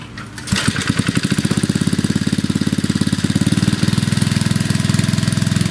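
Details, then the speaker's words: 40-year-old Briggs & Stratton engine after repair, air cleaner off, being run to check for leaks: catches within half a second and settles into an even, quick putter with no misses or knocks; runs fine. "I think it's running just fine. Everything works."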